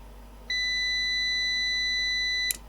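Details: Old UPS run with an external battery assumed to be 12 V: a steady high beep for about two seconds, then a click as the unit drops out with all three fault lights on; fault at power-up, cause unknown.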